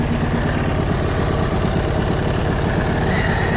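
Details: SXV550, warm idle stopped in neutral after the first ride since a two-year no-start was fixed with TPS setup, lithium battery and GY6 starter: steady, even thumping idle with no knocks, rattles or hunting. Runs clean, oil looks dark.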